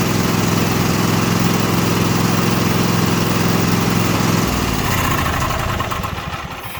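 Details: Craftsman T8200 Pro riding mower (2016, 46 hours), 24 hp Kohler Elite KT735-3068, after carburetor repair and flushed fuel lines: smooth, steady beat without surging, then winds down cleanly at shutoff; running healthy.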